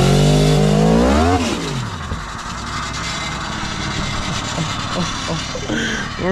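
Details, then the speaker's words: Crotch-rocket motorcycle engine swapped into a three-wheeler: revs up then settles into uneven clattering rattle as the drive chain slaps its homemade chain guide. "hopefully this works I built like a chain guide basically y'all can hear it it's just rattling and making noise but hey"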